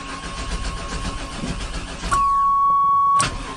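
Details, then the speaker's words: 1996 Chevy Tahoe bought sight unseen, sprayed with starting fluid: starter churns unevenly for two seconds without catching, then steady chime; cranks but won't run, owner suspects weak old fuel. "should we spray it again it's stinking it's wanting to but it's not wanting to it's not happy it's far from Happy"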